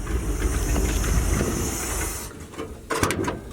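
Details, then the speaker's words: 1977 Dodge D150 Adventurer 360 V8, revived after sitting 12 years, just after a hard drive got it warm: steady high hiss over low engine rumble for about two seconds, coolant escaping from a split old radiator hose. "Something's hissing. Ooh. I did it that time, didn't I? Got her a little warm. That's where I split the radiator hose there."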